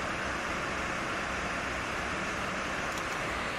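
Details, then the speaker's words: Gigabyte RTX 3070 Vision graphics card, screen going blank during games: loud, steady, airy fan roar spinning about 2955–3000 rpm under load, far faster than normal; tested on an 850 W supply. "While playing, the screen goes blank and the fan RPM spins really fast. It's spinning a little quieter now. How much does it spin when turning hard?"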